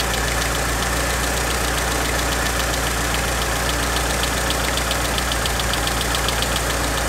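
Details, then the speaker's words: Mitsubishi Evo 6 idling, before replacement of hydraulic lifters (old type with 1mm oil hole): quick, light, fast even ticking from the top end over a steady idle hum; tappety worn hydraulic lifters. "Yeah, the hydraulic lifters are really tappety, quite annoying."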